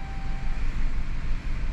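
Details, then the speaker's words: 2011 Chrysler Town & Country 3.6L V6 restarted after a blown heater core hose caused overheating, a warped head and lost compression; deep, lumpy idle surging unevenly from a severe misfire. "beginning engine restarting sequence now oo it doesn't sound good it does not sound very good at all I don't like it it's misfiring really"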